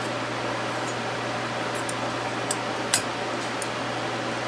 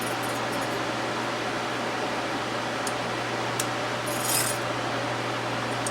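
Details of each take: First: Small unbranded 12 W desk fan (model HVRA4D) after straightening the offending bent blade: smooth, even low hum, no wobble or rubbing, couple of light ticks, nearly silent; normal running after repair. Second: Small unbranded desk fan, model HVRA4D, 12 W motor, running after blades, bent from the factory, were hand-bent but still off: steady motor drone with low buzzing rumble; vibrating quite a bit from bent blades.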